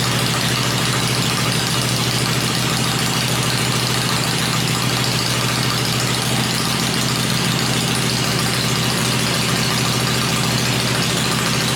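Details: Freshly built 96-inch V-twin with Edelbrock heads on an engine run stand, cycled through revs before going in the bike; stand shakes at lower revs; even, steady low idle, no knocks, ticks or misses; normal idle.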